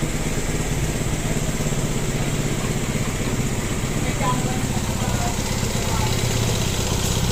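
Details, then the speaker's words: Motorcycle with a loud, rough idle: busy mechanical clatter over a low beat, and it also runs poorly and needs a tune; cam timing marks were checked. Finding: a loose timing chain. "So ang problema niya d sa motor niya is maingay daw yung makina mga boss yun yung titingnan natin"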